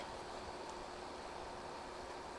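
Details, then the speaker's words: Space heater running after its faulty, poorly calibrated tip-over safety switch was bypassed. The switch kept tripping on carpet. Soft, steady airy hum with no rattles, clicks or cutting out; working normally. "Okay, it's working. Mission success, I guess."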